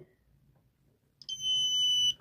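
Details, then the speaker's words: Continuity buzzer in a DIY tester module (DC voltmeter, buzzer, green/red LEDs, 3-way switch, 3.7 V battery, 10k resistor) gives one steady shrill buzz under a second when probes touch both wire ends; it stays silent if the wire is broken. "می‌بینین که صدا میده می‌بینین که صدا میده ولی اگه قطع باشه صدا نمیده"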